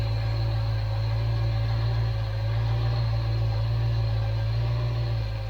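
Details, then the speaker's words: 1995 Range Rover Classic Vogue SE, 3.9 serpentine Rover V8, first start after a top-end overhaul with a new cam, while the ignition timing is being set: a steady, even low rumble with no knocks, misses or hunting, idling smoothly. "It's running sweet enough."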